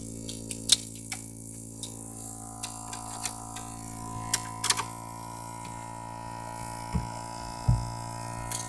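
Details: Opel Astra H with a CD30 MP3 head unit: steady low hum through the loudspeakers with scattered irregular clicks and ticks over it. Electrical speaker noise, source unknown.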